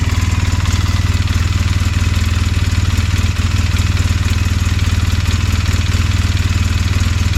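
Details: 2007 Polaris Sportsman 800 ATV, new with 15 hours, at idle: hard, regular clanking tap about 2.5 per second from the right side of the engine. Some say it is the oil pump; a failing water pump is also suspected. Source undetermined.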